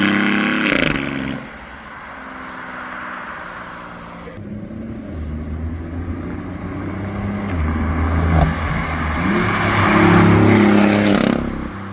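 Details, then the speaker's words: BMW i8 after exhaust repair (cracked/bad weld and burst flex bellows fixed): revs climb and fall, deep even note, much quieter, no booming, rattle or vibration; exhaust healthy. "소리가 많이 작아지긴 했다잉. 근데 부밍이 없어."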